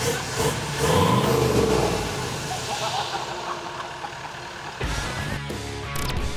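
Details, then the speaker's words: Toyota FJ49 build with VDJ V8 diesel, first successful start after new build and lengthy no-start troubleshooting; deep even diesel rumble, steady with no knocks or misses over background clatter: normal running. "that's that's one hurdle listen to it just now it's perfect darling perfect just absolutely gangster"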